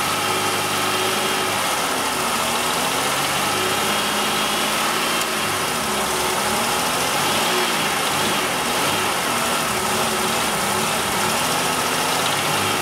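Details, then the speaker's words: GM 3100 V6, being revved: busy, clattery running with a hard mechanical knock; slight rod knock or upper engine noise giving a false knock sensor signal, retarding timing and causing intermittent low power. "all right so I don't know if you can hear that or not it's definitely very clear for us here pretty pretty good engine pretty good amount of engine noise on this thing"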